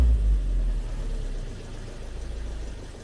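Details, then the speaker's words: Chevy Captiva GDI engine after an engine swap, idling rough with a fast chatter through the rumble; P0089 fuel rail pressure too high, rail pressure sensor maxed out, VVT solenoid working; metal found in the oil filter. "The solenoid seems to be working great. The car is still not happy. You can hear that chatter."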